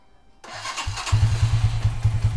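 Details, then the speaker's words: Minerva R150 VX 2010 single-cylinder, cold start after setting the PE 28 carburetor float that had caused hard starting and stalling: quick cranking catches within a second, then a regular, even idle; fuel supply now sufficient, starts easily. "Mantap sudah benar ya hehehe tadi kan langsung mati ya Ini udah nggak sudah tercukupi bensinnya"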